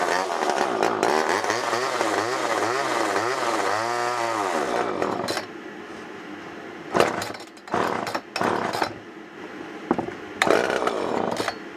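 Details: Garbage-picked old Homelite XL automatic-oiler two-stroke chainsaw, running rough soon after revival: rasp surging up and down in pitch with stuttering bursts; carb still clearing, and it later smooths out with more cutting.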